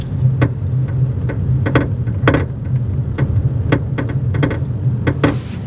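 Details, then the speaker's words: 2022 Honda Insight on test drive after rear strut replacement: sharp irregular clunks and rattles over road rumble persist; cause found to be a worn rear upper strut/shock top mount. "But that's the audible noise that we've been hearing. So, with the strut changed out, it hasn't gotten any better. So, now I'm thinking it's a component inside of the strut."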